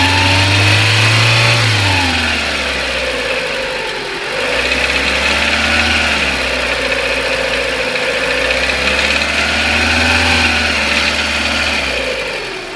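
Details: Renault K4M engine, hot, revving up and down with a regular knock appearing around 2000 rpm; cause unknown.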